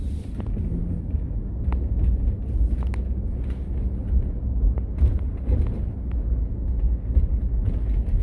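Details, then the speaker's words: 2015–2020 Ford F-150/Super Duty/Expedition after the sunroof cleaning in TSB 20-2093, driven over a broken, bumpy parking lot: low cabin rumble with scattered light knocks. The earlier beeping squeak is gone, with no sunroof squeak or rattle. "the squeaking's gone. Before, when I used to be driving in this parking lot, you start shaking the wheel, it would be like beep, beep, beep, beep, beep. Nothing at all. No issues, nice and clean. No sounds."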